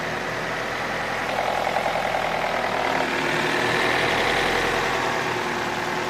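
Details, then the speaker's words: Opel Astra H at steady idle with a faint, fairly regular tapping about three to four times a second from the rear of the engine, near the ECU. Not the gears and no error codes; the knock source is unclear. "звук откуда-то вот отсюда сзади. Вот где-то в районе ИБУ, там где-то. Это не шестерни, ошибок никаких нету."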